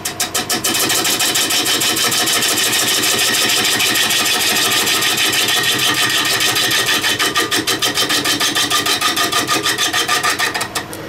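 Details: Spalted beech salad bowl turning on a VB36 lathe, facing off the top: rapid rhythmic rasping chatter, about three beats a second, as the tool rides the spinning bowl; tool chatter, cause not clear.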